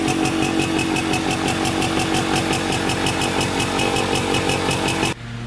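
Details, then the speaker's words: Polaris Trailblazer 250 2x4 two-stroke quad after top-end rebuild with cheapest eBay piston/cylinder kit, cold start on second break-in: crisp even popping idle about three beats a second, holds without stumbling; runs and idles much better. "all right all put back together runs a lot better stays idling and definitely sounds a ton better"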